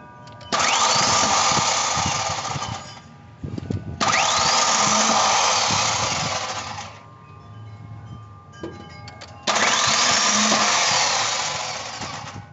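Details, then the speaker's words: 1996 Ford Ranger 2.3, battery recharged: three long cranking bursts of harsh, high-pitched grinding whine with no start; owner suspects the starter Bendix drive not meshing. "so I got this 1996 Ford Ranger but it's having issues of starting this so I already checked while I crank it I get a strange noise"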